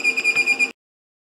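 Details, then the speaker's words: LaCie Biggest FW800 drive enclosure at first power-on gives fast high beeps, about eight a second, in repeated bursts while the screen flashes; it will not start up, cause unknown. "um that does not seem right"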